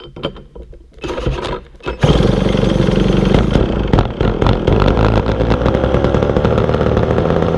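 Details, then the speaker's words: Vintage McCulloch Super 550 chainsaw after reassembly: it fires and runs up to a high, steady scream instead of dropping back to idle, because the throttle is hanging open. "throttle came too hung up on me there all right so I got it all back together it's idling a little bit high but it's running"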